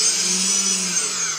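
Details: MultiWii 3D quadcopter with modified, reflashed Multistar 15 A ESCs, no props, after throttle-calibration fixes. Smooth high-pitched motor whine stays steady, then eases slightly as throttle drops, with no grinding or stutter. Motors run normally.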